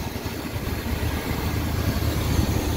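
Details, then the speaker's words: 1974 Chevy C30 Custom wrecker, 350 V8, first start after sitting about five years: smooth, even low rumble with steady firing pulses, no knocks or misses; normal idle. "yes that sounds good gonna have to put a little bit of gas down here sometime but she's running she is running guys five years she's been sitting five years"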